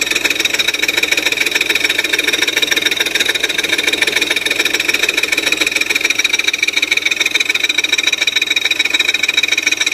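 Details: 2002 Audi A4 3.0 V6: fast, even light ticking, three to four per second, above a quiet idle. Developed after timing reset and new timing belt following a front-end accident; absent on cold start. Source unknown.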